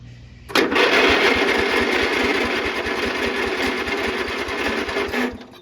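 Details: Riding mower small single-cylinder engine after the ejected spark plug was reinstalled and torqued to spec: catches and runs at a steady, even putter with no misses or knocks; running healthy.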